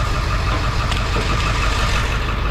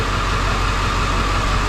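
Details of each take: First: 2007 Ford F450 with swapped-in 7.3 Powerstroke diesel, check engine light on; scanner contribution test points to cylinder 5. Deep idle with slightly lumpy, uneven beat, slight vibration shaking the door. Cylinder misfire, traced to the under valve cover harness. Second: 2007 Ford F450 with swapped-in 7.3 Powerstroke diesel at idle after replacing the under valve cover harness for a cylinder 5 miss; check engine light returned but shake gone. Steady, even clatter with no stumble. Normal idle.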